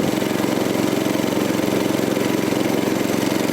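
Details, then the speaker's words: Troy-Bilt tiller with 6.5 hp 212cc Predator engine after a spark plug swap, plug found loose: even, steady, fairly quiet putter with no misses, knocks or surging, same as last year; normal idle. "It's running though. Sounds good. Fairly quiet. Doesn't sound different from last year."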